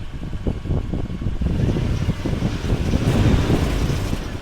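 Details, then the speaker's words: Toyota Land Cruiser 100, idling in neutral on wheel chocks: fast uneven rattle over the idle, worse cold and more in drive, easing once warm; engine bay rattle, owner first suspected an accessory belt pulley, source unknown. "you guys hear that Rattle and it seems to get a little less bad once the car warms up it was just really bad this morning when I was driving out and the car was cold"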